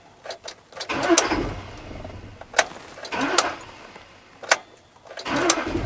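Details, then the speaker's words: Intermittent grinding on cranking: short starter bursts, each with a harsh scraping grind as the starter engages and spins briefly; starter versus flexplate or flywheel engagement is being checked. "Now the starter does engage, he does hear the starter spinning, but he hears a grinding sound."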